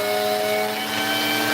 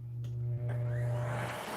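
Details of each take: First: Vacuum with no-power complaint, wand in place and pushed forward then pulled back: steady motor whine with a faint dip and recovery, suggesting a faulty wand connection cutting power intermittently. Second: Vacuum cleaner with the suspect wand part bypassed, head connected straight to the hose: the motor spins up to a steady high whine and holds with no surging or cutting out under pushing. Normal running; the bypassed part is suspected as the fault.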